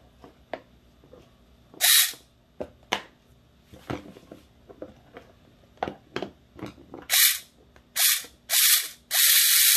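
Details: Airsoft Ver3 gearbox with helical gears, fully shimmed and greased, motor fitted (anti-reversal latch reportedly not working): short, sharp, high-pitched whirring bursts, crisp and free of grinding; normal gearbox cycling.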